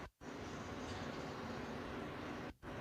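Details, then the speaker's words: 2000 Chevy crew cab dually sat almost five years, fuel pump run by jumpering relay pins 30 and 87 to pump out the tank: steady, even hum after brief silence, short dropout near end; fuel pump running normally. "and what's going to happen is as soon as we jump corner to corner you're going to hear the fuel pump run and"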